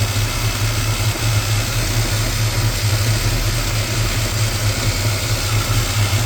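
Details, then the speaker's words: 1987 Chevrolet V10 V8 running on a newly installed Carter electric fuel pump after the line was primed by mouth: a deep, steady rumble holding an even idle with no stumbles or misses; the filter is not quite full of fuel. "But it's running. It's not starting."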